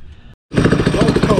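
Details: Budget drift go-kart with a small single-cylinder engine and no exhaust fitted, first runs: loud, rapid, uneven pops and crackles from the open port; backfiring, suspected from the missing exhaust.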